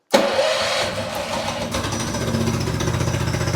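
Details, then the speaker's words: Redfox 200 two-seater off-road go-kart with a single-cylinder engine that had not run in a long time; cold start with choke on using the electric starter and a new battery; it catches immediately and settles into a steady putter, running cleanly. ">> Sweet, dude. She's purring. Let it warm up for a bit. It hasn't ran in a long time. >> The engine sounds way better than yesterday."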